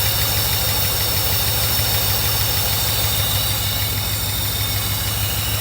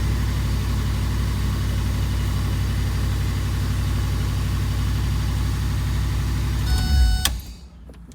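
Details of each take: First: 1982 Mercedes 380SL V8 idle brought back down by applying nine volts to the idle air control valve, bypassing the idle control module, which shorts when warm; low, even, steady idle pulse with no hunting. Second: 1982 Mercedes 380SL after first start, smoking: engine runs well but holds a fast steady idle around 1500 rpm until shut off; high idle, idle speed control module suspected.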